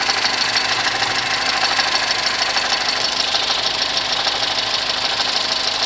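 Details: 2010 VW Golf 1.6 at idle: busy chatter about three beats a second from accessory belt drive; noise disappears with poly-V belt removed; water pump, oil pump, alternator bearing, timing belt, poly-V belt and tensor bearing already replaced, cause unknown.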